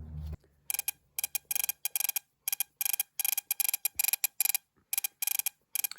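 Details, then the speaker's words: MSD ignition bench test on a classic Mopar distributor turned by hand with battery and spark plug: sharp, crisp snaps in quick bursts, a stronger spark than the other systems tested; healthy. "That's a physically stronger spark than any of the other items that I've tested today."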